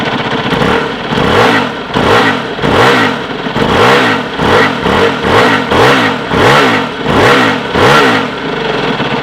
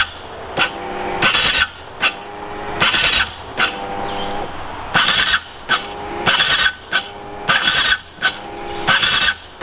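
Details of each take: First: Aprilia RXV small V-twin enduro, after starting: repeated throttle blips, each rising and falling cleanly with an uneven V-twin beat unlike a thumper, running strong and healthy; normal V-twin revving. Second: Aprilia RXV small V-twin enduro: starter whirs in short uneven bursts, bogs and stalls against compression without firing; starter fine, wiring harness (already upgraded once) lacks juice, fixable; slow cranking from insufficient starter current.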